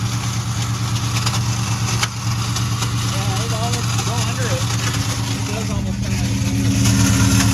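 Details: 2001 Ford Mustang GT Bullitt running with a horrific harsh metallic clatter, about three beats a second; valve covers first suspected, but the starter was not disengaging and kept striking the flywheel.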